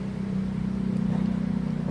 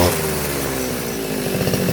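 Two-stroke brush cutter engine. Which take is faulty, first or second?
first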